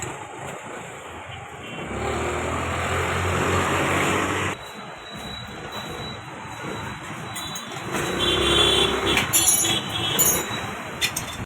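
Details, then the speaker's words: Honda Activa 110 scooter, clutch cover open, after repairing handle vibration, rattling noise and weak pickup: pulls away and revs smoothly, with no rattle or judder from the belt drive. "એકદમ smooth અત્યારે હાલે જ આનો અવાજ એકદમ smooth લાગે છે તો તમે જોઈ શકો છો આ એક્ટિવા આપણે રેડી કરી દીધું છે અને સેટ પણ વાઈબ્રેશન નથી આવતું અને કોઈ પણ જાતનો પ્રોબ્લેમ નથી"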